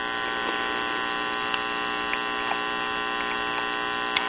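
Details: One-tube Bel-Aire/Airline (Montgomery Ward) three-speed record player, about 1953-54, volume control bypassed by a 470k resistor to output tube grid: steady low hum with even overtones, no cutting out; intermittent volume control suspected.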